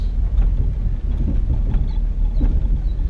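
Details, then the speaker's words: 1959 Buick Electra 225 with the 401 Nailhead V8, heard from inside while cruising: steady low rumble with no rattles or clunks, riding smooth and quiet. "there's no rattles or anything. It rides smooth and quiet."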